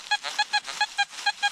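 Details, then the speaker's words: Metal detector at a home site in an old coal mining town; fast chirping tone near 800 Hz, pulsing about six a second without settling as it tries to lock onto a high target; detector hunting for high-tone target. "o see how it's trying to lock onto that that uh High"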